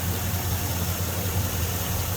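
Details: 2002 Chevy Silverado 5.3 V8 started on a jump pack (battery dead): rough idle with a deep, regular bottom-end knock. Suspected broken crank, broken flywheel or loose torque converter bolts; unconfirmed.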